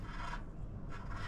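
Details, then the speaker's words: 2005 Harley-Davidson Fatboy front wheel removed, bearing turned by hand: two dry, rasping grinds from a worn front wheel bearing, heard roaring while riding; other bearing smooth, both being replaced. "you hear that it's just grinding this one's this one's smooth that one's grinding so they were definitely toast um I could hear them roaring and I knew they were"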